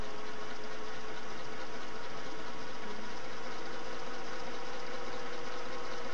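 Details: Singer Model 401A sewing machine, run with the foot pedal pressed by thumb at varying speed. Low, quiet motor hum with a faint steady whir, no knocks or grinding; runs fairly quiet and smoothly.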